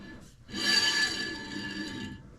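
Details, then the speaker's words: Z31 300ZX with a newly fitted Brembo big brake kit, 14-inch 370Z rotors, wheel turned by hand after setting the pads: soft even scraping hiss with a faint ring, normal light pad contact; the bracket is also seen hitting the rotor. "That noise you hear is obviously just the rotor hitting the pads, which is obvious, you know"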